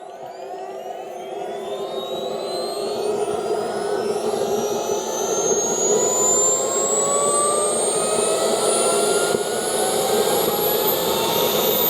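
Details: CARF Rebel Hot RC jet's newly installed turbine on test run: air bubbles purged, no problems, idle stabilizing. The even jet roar and clean whistle climb smoothly as throttle opens, with no surging or rattles. Normal turbine run-up.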